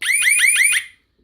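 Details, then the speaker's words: New home security alarm siren being bench-tested on the alarm transformer before mounting: loud, high-pitched rising whoops repeat about five times in under a second, then cut off; the replacement siren works normally. "okay so it definitely works so now that we've uh we also in in testing the new one we also demonstrated that our test method was good"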